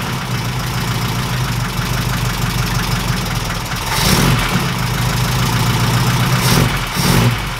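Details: 1969 Ford Capri idling during valve clearance (follower) adjustment: a light, quick ticking rides over the steady idle and keeps time with the engine. The ticking is from loose valve clearances.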